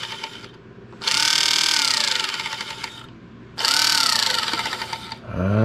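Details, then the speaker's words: Electric pump on the burned-up rat rod "Doje'llac"; two bursts of rough whirring with a wavering high whine, about two seconds each; owner judges this pump bad, noisy. "well this pump is bad I guess there must have been a reason I had a I had a brand new one in a box sitting on the shelf"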